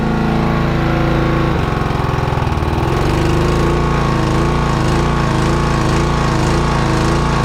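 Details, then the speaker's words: Honda GX120 gasoline single-cylinder on an air compressor, smoking heavily; restarted first pull outside, thumps unevenly with pitch hunting before settling, plug fouled badly: rough running while burning off. "See if she'll restart. First pull. She is fouled like crazy."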